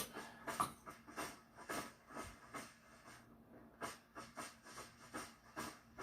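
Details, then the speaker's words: Svea 123 backpack stove, late-1970s, first firing in 40 years on new fuel: soft hissing roar pulsing in uneven bursts about twice a second, flames uneven side to side; owner suspects clogged jet. "my jet may be clogged down there because I should be getting even amount of flames on both sides. I'm glad that I got the new fuel, because otherwise I'd be suspecting that's my problem. But this is not operating the way it should be right now."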